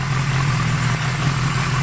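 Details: Honda CB550 four-cylinder, first start after build, charging system fixed, about 12.8 to 12.9 volts at idle with headlight on: low, steady idle drone with an even beat and no misfires or knocks; idling cleanly.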